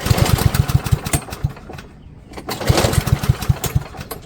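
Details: Yard Machines by MTD mower, PowerMore 139cc OHV engine, before tune-up, warm, choke on: two pull-cord cranks, quick chuffs about eight per second dying without catching; warm engine cranks but won't start.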